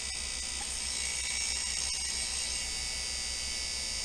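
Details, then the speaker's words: Opened vintage hard drive (IBM or HardCard 20) spinning: harsh, hissy scraping grind with a faint rhythmic pulse, heads dragging on the platter. Concentric scratch lines were later found on the platter; head crash. "inside as you can see it looks like the heads have been scratching the platters uh that's not normal you shouldn't have those uh concentric lines on on the platter itself and I guess that's the noise I was hearing"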